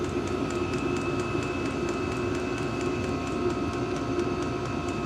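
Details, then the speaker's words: Diesel heater newly mounted in a cargo-trailer toyhauler: steady fan hum with light, evenly spaced ticks a few times per second from the fuel pump, which still clicks a little; the heater is running normally. "fuel pump still makes a little clicking sound. I don't know if you can hear it."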